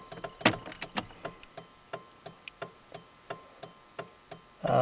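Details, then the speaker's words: Chevrolet S10 left turn signal hyperflashing, rapid even ticking about three a second; normally a burnt bulb, but it straightens out with parking lights off, so a parking-light back-feed was suspected; an easy fix. "uh usually that means there is a ball burnt out but if I turn the parking lights off which I can't do because I'm in the shop and it thinks it's night out it straightens out"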